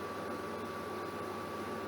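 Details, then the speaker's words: Germanica portable induction cooker heating water at full power (LEDs show maximum, stated 200 W): steady, even high-pitched coil hum over faint fan hiss, reaching a boil in about 1 minute 30; normal induction coil hum. "so you can hear the coil straight away it is cranked all the way up to 200 W as you can see there by the LEDs"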